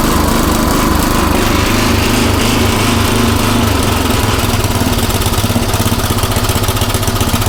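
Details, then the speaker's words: Craftsman rototiller single-cylinder after tune-up with a new aftermarket carburetor, idle screw raised, mixture set about 1–1.25 turns in from original; steady, even chug with no surging or hunting, running smoothly and much better than before. "so yeah it's running a whole lot better um i think i pretty happy with it"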